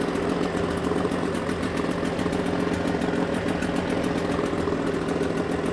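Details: Suzuki DT6/DT8 two-stroke outboard fitted with a Chinese aftermarket carburetor, fuel pump feeding from an external tank: steady, even putter at idle with no misses, surging or hunting, holds revs and no fuel overflow after the carb swap.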